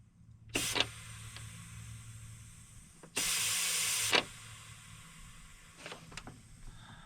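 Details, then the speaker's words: Freightliner single-axle semi truck cab air system: two sharp hisses of escaping air, one brief and one about a second, over quiet idle hum; air valve sticking open and leaking, replacement ordered. "You hear it? It sticks open."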